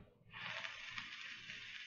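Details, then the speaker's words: IPV4 vape with RBA section on temp control, firing: hissing fizz breaking into faint quick pulses as power cuts in and out; wick getting dry, wattage drops further as it dries, cotton not burning. "that little pulsing action and actually it's getting kind of dry"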